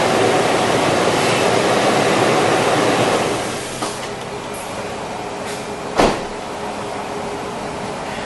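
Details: 2003 Toyota 4Runner 4.0 L, just after a new drive belt was installed: steady, even running hum with no squeal or chirp from the front; belt running quietly and tracking correctly.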